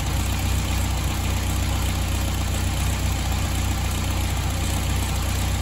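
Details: BMW M3 E30, S14 engine: deep, steady idle with an even low pulse and no misses, stumbles or knocks; engine running smoothly and healthy.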